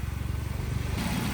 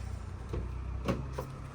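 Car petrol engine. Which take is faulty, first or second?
second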